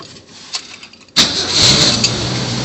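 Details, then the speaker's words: 1966 Ford Bronco U13 roadster with 200 inline six, after replacing ignition, key cylinder and other parts; brief crank, catches immediately and settles into a smooth even idle with no stumble, no smoke; normal start. "Let me start it up. I replaced the ignition, key cylinder, and some other stuff."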